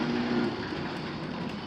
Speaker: It could be quieter. It's quieter than mine.